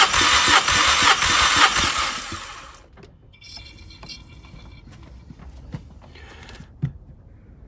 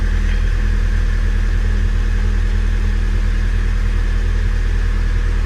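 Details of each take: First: Mk5 VW Golf GTI with cylinder 3 misfire, compression test with ignition on and no fuel: strong, even cranking beats about three per second; normal cranking compression, mechanical issue unlikely. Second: Mk5 VW Golf GTI petrol engine at idle, lumpy uneven beat from a misfire on cylinder 3; a garage had suspected a split piston or ring, but compression and borescope tests suggest it is not mechanical.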